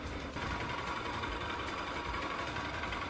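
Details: 2024 Bajaj Pulsar 200NS engine running at about 2,000 km: dense fast metallic clatter with a steady buzzing edge; owner suspects loose screws, source not found yet; unidentified rattling noise.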